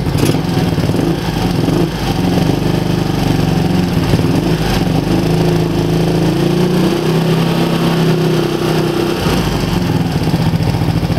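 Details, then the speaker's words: GY6 150 scooter engine with 60mm big bore kit, A-10 cam and ported head, first start-up: steady fast idle with light quick ticking over the exhaust; valves set to 0.04 still sound noisy, tighter valve springs considered. "Sounds like the valves are a little noisy. I don't know. They're set to, both of them are set to 04."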